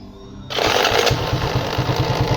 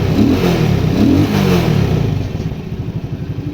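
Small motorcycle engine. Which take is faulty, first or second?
first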